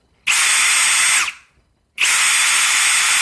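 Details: Brand-new Ridgid Octane hammer drill, a replacement for a first unit returned for a clutch noise, in speed mode one, driver mode: two one-second bursts of high, harsh whirring with a gritty grind; grinding noise, source unclear.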